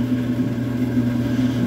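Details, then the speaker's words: Maytag Neptune gas dryer after gas valve solenoid repair for heat staying on, quick dry cycle, door reopened to test reignition: a constant low hum with a steady drone, no scraping, squeal or clicking; normal running. "you should hear the click of the gas valve [Music] there it is and we have success"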